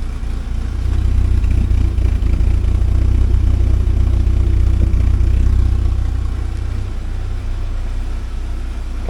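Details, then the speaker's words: 1979 Porsche 924 after timing belt work, warmed up, heard at the exhaust: deep, steady burble with an even beat and no misses. A paper-towel exhaust test showed a couple of black spots, thought to be moisture. Running decently. "it's starting to smooth out now and be a decent running thing sounds right anyway"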